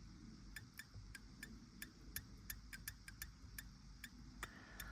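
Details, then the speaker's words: Vauxhall Vivaro 2020 BSI board relay bench-tested with 12 volts applied to its switching coil: sharp, ringing clicks about three a second with a faint squeal, suggesting high internal resistance and no output; relay is bad and needs replacing. "I'm hoping you can hear that but it's Al almost like a high resistance in there of some sort but we have got nothing on there um so that one here is a bad"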